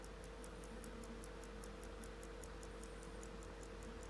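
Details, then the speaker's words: 1930s Sandoz Vuille 8-day rearview mirror clock, balance swung by hand: light even ticks about five a second but it won't keep running; owner suspects the fork has slipped off its stud, letting it move only one direction, and may reset it. "so if it falls off of that between that area there it will only move in one direction then they won't let it you know rotate to the opposite direction"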